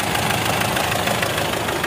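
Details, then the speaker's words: Mitsubishi Strada Triton diesel, around 2008, hard starting with white smoke: rough idle with rapid uneven tapping and chuffing over the clatter, heavy blow-by puffing and much smoke from the oil filler. "Nah jadi disini kita lihat untuk bagian pengisian oli itu keluar ya suara tepuk bobot dan asapnya banyak"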